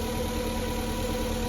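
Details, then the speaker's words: VW Polo 6N barn find that had been running rough, started with the gearbox connected: steady, even petrol idle with a smooth low thrum and no misses; runs like it used to. "Oh yeah, brilliant. I think that might have been our problem. Fantastic. Oh, it sounds brilliant. Sounds just like how it used to."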